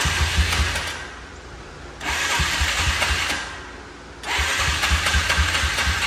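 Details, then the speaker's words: Single-cylinder four-wheeler (ATV) first run after major repair, carb and missing intake boot reinstalled, Marvel Mystery Oil added: thump picks up and runs even, short rev blips, no knock; little smoke, slight extra blow-by, idle a little high; motor sounds good. "motor sounds good it's not smoking out as much as I thought it would a little bit of stuff burning up in the front that idle's a little high"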